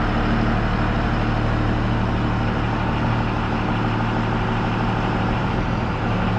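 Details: 1966 Loadstar truck idling outdoors before warming up to temperature: steady, even low throb with a loud hollow intake rush and the engine note carrying through it, no knocking; owner finds the intake unusually loud at idle, cause unclear.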